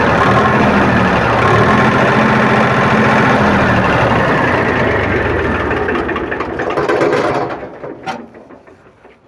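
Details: Powertrac tractor diesel after fuel pump drop timing set, running while silencer smoke is shown: even steady clatter at constant speed, then winds down and stops; normal running.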